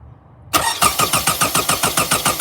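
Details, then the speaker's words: 2006 Toyota Camry 4-cylinder, check engine light on, brake cleaner sprayed into intake: steady rhythmic cranking about six strokes a second, never catches; crank no start, fuel pump suspected but ruled out, fixed by disconnecting and reconnecting battery. "So my car a few days ago would just crank and it wouldn't start."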